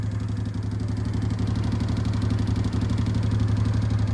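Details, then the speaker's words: 2005 Honda Deauville NT650V, 75,000 miles, twin idling with the fuel cut off: rapid, even pump ticking of about four a second as the pump runs at maximum flow; idle turns erratic then misfires; normal pump response. "And when the fuel pressure diminishes the the that tick tick tick tick tick accelerates to maximum flow which it is trying to do but because I have stop uh cut the fuel off it just can't catch up with the flow"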